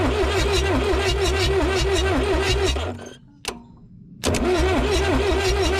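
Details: Abandoned Lull Highlander 844 telehandler, jumped at the solenoid without starting fluid: fast, even cranking with strong compression pulses of about three per second, short pause, more cranking, never catches; crank no start.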